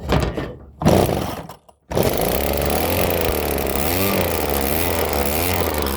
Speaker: Well, Well, looks like we fixed it. So hopefully this will continue to run.